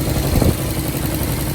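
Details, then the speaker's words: 1990 Nissan 300ZX Z32 after installing new fuel injectors and OEM plenum gasket, first start after priming fuel pump: deep even drone settling after a brief blip into steady healthy idle; no leaks found. "Sounds like it's idling down. Sounds pretty good."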